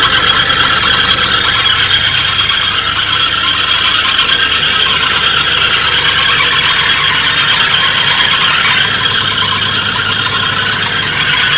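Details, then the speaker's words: 1983 Oldsmobile Delta 88 Royale being revived, now starting immediately: loud, steady high-pitched squeal and chatter from the belt-drive pulleys at idle; owner suspects the alternator, not confirmed. "well it starts up immediately now and at least idle sounds like it might be the alternator"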